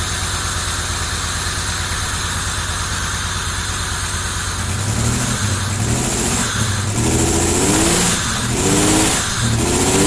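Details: 1990 Camaro RS, first start after sitting 12–13 years: new fuel pump, sending unit, blown-out fuel lines, new plugs, crossed plug wires corrected, timing not yet set. Smooth idle then clean even revs, no misses or knocks; running healthy.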